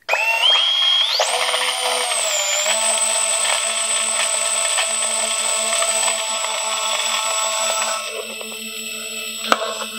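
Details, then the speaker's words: Brushless whoop drone motors run right after the bearings were oiled. At certain speeds a high whine carries a rough, squelchy edge. The owner suspects oil squelching in and out of the bearing canister but is unsure. "after I had first oiled these motors and started spinning them at certain speeds you could hear this weird squelchy sound listen to this"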